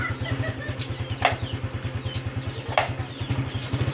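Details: Honda Supra X 125 FI: steady idle thump with two sharp metallic clicks about 1.5 s apart on gear shifts; intermittent loud shift clunk, also present with engine off, from the clutch release ball returning early.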